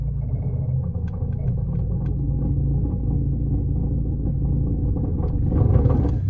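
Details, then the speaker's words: Mini Cooper exhaust rattle: low engine rumble with loose metallic rattling as the clutch is let out and load is added, from loose exhaust hangers due to be tacked up. "All right, guys, so I don't know if you can hear it, but listen, when I let the clutch out and we add a little bit of load to it, you can just hear that exhaust rattle."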